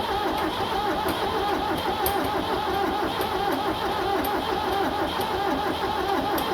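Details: Tractor 7610 diesel, fuel on, jump pack plus charger on a fully charged battery: starter churns steadily for several seconds but never catches; owner unsure if no compression, fuel seen at the lift pump, plans to try ether.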